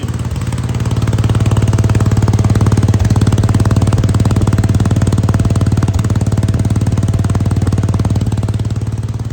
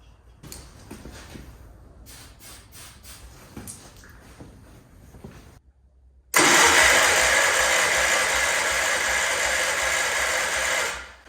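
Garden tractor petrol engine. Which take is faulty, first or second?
second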